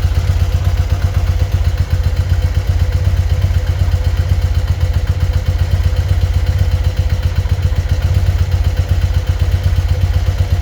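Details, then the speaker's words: BMW R100RS twin-carburettor boxer at idle after sticky throttle fix, vacuum gauge balancers connected to each carb's vacuum port: low loud thumping idle with slightly uneven lumpy beat; carburettors out of sync before balancing. "Okay, set up with the balancers, tubes going down into the vacuum port on each carb to these two gauges. And let's see how far out of whack we are."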